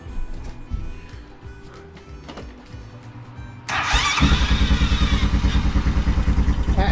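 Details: Honda Recon ATV no-start with a charged battery; the starter had only three of its six magnets, the rest broken; after a whir the engine turns over slowly at about three labored strokes per second without firing; the starter is too weak.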